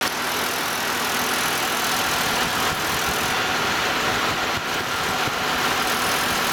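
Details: 2006 Chevrolet Malibu at idle: thin, tinny metallic buzz from a loose exhaust heat shield, previously fixed with a screw-type hose clamp that is now too rusty to tighten and needs replacing.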